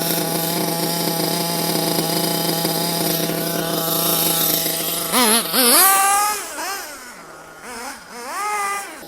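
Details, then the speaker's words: Nitro RC engine back at base high-speed needle setting: steady high buzzing idle with quick clean rises and falls on throttle blips; accelerates instantly, well-tuned. "as you can see he wants to accelerate straight away i can make it a bit more reach if i wanted to"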